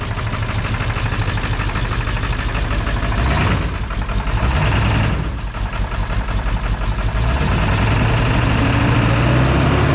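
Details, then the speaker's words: Ford 7.3 Powerstroke diesel, restarted after refueling following a turbo rebuild, new injectors, glow plugs and wiring: steady, even diesel clatter at idle with a smooth low rumble and no misses or knocks; sounds normal, with a boost leak still to fix. "Dude, now that kind of sounds normal. Huh? That sounds kind of normal right now."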